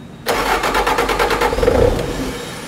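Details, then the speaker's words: Bobcat 5600 Toolcat with Kubota diesel: quick rhythmic cranking catches and fires briefly with good black smoke, then fades within a second after the controller cuts the starter; the fuel shutoff solenoid isn't held in. Fuel shutoff solenoid hold circuit fault. "it sounds like it's starting it's got good black smoke but it just it stopped so what happens is the engine will turn over once it sees RPM the controller says okay I've got RPM I'm going to shut the starter off"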